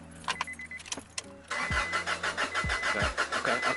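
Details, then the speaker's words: Mom's Honda Accord, driven fine that morning, cranks but won't start: steady rhythmic starter chug about three beats a second, never fires; power reaches the pins during testing. "She drove it to work that morning, and then she tried to leave that evening, and it didn't. It didn't turn over. It cranked, but it didn't turn over."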